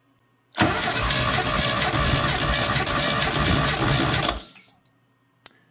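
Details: Classic Mini engine cranked at full throttle for a compression test at high altitude: even, steady cranking for about four seconds with no stumbles; about 150–160 per cylinder and almost no leakdown, so the engine is healthy.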